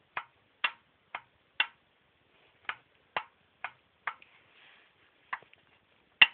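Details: Toyota Probox engine removed after overheating, turned slowly by hand: sharp, hollow metallic clacks, about two a second. This is piston slap from excess piston-to-bore clearance; a gap is visible, and the scored, blue-spotted cylinders need boring.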